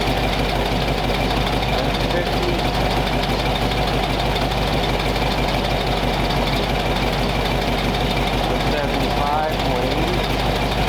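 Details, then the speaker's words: Warm flathead V8 after about 20 minutes of idle, temperature back down to 180 degrees with thermostat open, 30 psi oil pressure, no exhaust smoke; even, steady idle with no misses, knocks or ticks, running smooth. "Running smooth as silk, still had 30 pounds of oil pressure, no smoke coming out of the exhaust. Sounded smooth as heck."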